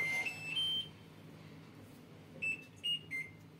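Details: LG washing machine repeatedly plays three rising chimes, a pause, then three falling ones after Start is pressed, refusing to wash; the lid sensor fails even with a magnet, and the fix is bypassing the sensor on the board.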